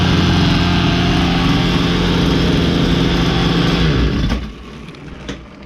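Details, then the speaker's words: Ryobi LT2 two-stroke petrol trimmer after repair, which had stopped firing after a tank refill: high buzzy note holds steady at revs, then cuts off cleanly; running smoothly and strongly. "So there we have, folks. Running nicely, running sweet as a nut."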